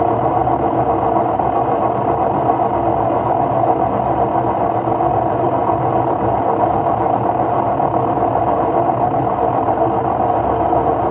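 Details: LG washing machine at high spin: loud, steady roaring rumble from worn drum bearings; repair replaces the two ball bearings and the seal.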